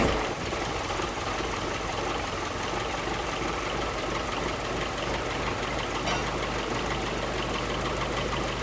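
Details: 1946 Willys CJ2A, all-original 6-volt engine, started after sitting a few weeks, choke possibly needed: catches quickly and settles into an even, chuffing idle with no knocks or rattles; normal idle.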